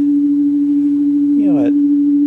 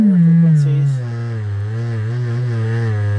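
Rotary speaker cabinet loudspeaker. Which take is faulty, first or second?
second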